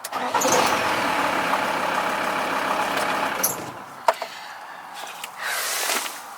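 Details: 1996 VW T4 2.5 TDI (ACV engine), first start after fitting a new starter motor: it cranks and catches cleanly with no solenoid clicking, then settles into a busy idle. The starter is now working properly.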